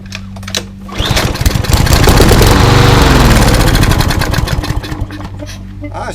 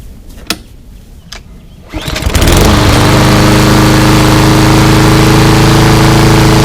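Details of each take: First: Craftsman 247.374410 mower with a Briggs EX engine, good spark, fuel primed by hand: catches with a quick even putter, runs a few seconds, then dies. Fuel starvation suspected; owner suspects old gas diluted with fresh. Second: Craftsman 247.374410 mower with a Briggs EX engine that wouldn't start, after cleanup and an oil change, cold start: catches within a pull or two and settles into a smooth, even run with no misses; healthy.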